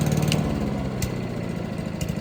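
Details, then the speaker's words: Honda HRC216 mower (GCV-series single-cylinder engine), just pull-started on choke with original carburetor: chugs unevenly, beat stumbling and hunting; rough running from faulty carburetor, later replaced. "Just running like a dog."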